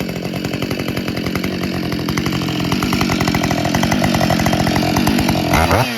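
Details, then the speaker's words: Husqvarna 572 XP chainsaw (complaint: wouldn't rev out hot, only popped) after replacing the ignition coil: fires right up, crisp even two-stroke running at steady high revs, no popping or missing; runs cleanly, fixed. "well coils installed fired right up like a jam"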